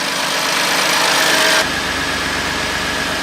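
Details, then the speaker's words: BMW M2 Competition rebuilt after crash damage, approx. 630 bhp, decats fitted, with valves closed: steady, even, really quiet idle with a smooth hum, no knocking, ticking or misfire; engine sounds healthy. "et's uh have a listen and see what 630 brake sounds like well it was 630 brake before but now I know it is really quiet you wouldn't know it that's for sure"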